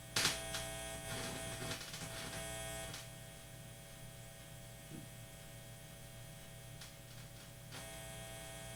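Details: Guitar with the Bob button reinstalled hums with nothing played; the hum is gone when the button is on, and the owner suspects the button or its chip. After handling clicks, a low steady buzz remains; interference source unclear.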